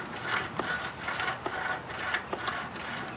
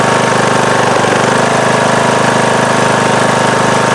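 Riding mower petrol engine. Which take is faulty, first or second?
first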